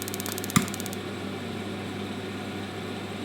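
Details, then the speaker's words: Turbo Max boiler after fault-finding, with the modified rectification probe sensing flame: brief spark ticking, a sharp pop as the burner lights, then a steady hum. The yellow light shows flame recognised, so ignition is normal and the boiler is working. "Recognises flame because the yellow light's on. Bingo, working boiler. Pull away, goes to spark. Recognises flame."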